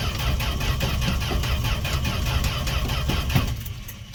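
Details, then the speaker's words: Canadian-built Fargo D100 (Dodge D100) pickup, 1980s, cold start after sitting seven months: starter spins engine steadily and fairly quickly but it never catches; owner suspects fuel pump or ethanol-damaged carb parts, next pours gas down the throat. "all right this isn't working we're gonna give her a little gas down the throat give me one moment"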